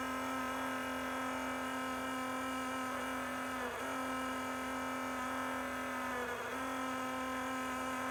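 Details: Enermax Liqmax III liquid CPU cooler on a non-overclocked Intel 10600K, failing after 9 months: loud steady whine with a constant pitch and a faint whirring hum underneath, from the failed pump.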